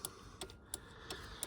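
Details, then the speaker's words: MK2 Golf GTI 16v in cabin after pushing in a loose plug fixed the indicators: crisp even flasher relay clicks about three a second, working normally. "hopefully you can hear that clicking in the background and ended up in an easy fix after all"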